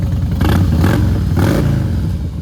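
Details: Fuel-injected motorcycle started on the electric start button in neutral: two quick throttle blips rise and fall cleanly over a deep, even idle, no clatter or misfire; normal revving.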